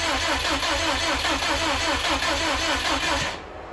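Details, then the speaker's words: 2007 Subaru STI after assembly: even starter cranking at about two and a half beats a second that never catches; the fuel pump was found wired into a switch and unpowered, so crank no start; an injector fuel leak was also found. "Right here is where we figured out the fuel pump was wired into a switch."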